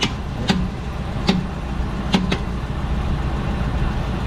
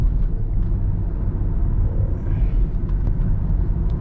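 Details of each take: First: 2012 Dodge Durango Citadel on a jack, in drive under torque load: sharp irregular pops, about nine in eight seconds, over drivetrain hum from the rear axle area; worn rear CV axle joint, greased with no complaints since. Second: 2012 Dodge Durango Citadel test drive after greasing the popping rear CV axle: steady low road rumble with no popping from the rear; CV joint noise gone so far.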